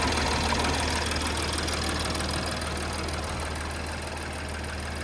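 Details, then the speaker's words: 2017 BMW X5 with N55 engine after belt, tensioner and idler pulley replacement plus new spark plugs: smooth, even idle, the former loud pulley whine gone; some valve tapping at high mileage, said to stop once warm. "Man, it's purling with them new spark plugs in there. Don't even hear that pulley no more."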